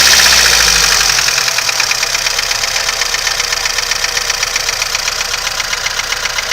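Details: VAZ 2101 engine at idle: sharp, even ticking knock about four per second over the idle; internal engine knock, owner asking for help, cause undetermined.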